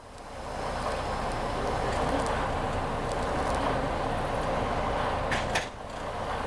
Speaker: Then you're looking and hearing out for the locking jaw to click.